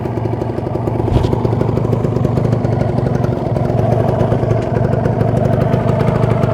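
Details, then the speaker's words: Kawasaki Ninja 150 RR two-stroke on warm-up idle at a normal 1000 rpm, rarely ridden, still cool, stock exhaust, recorded beside the engine: steady, crisp, even burble with no knocks or misses; normal healthy idle. "terdengar jelas suaranya masih adem sirkulasi oli lancar oli samping oli mesin"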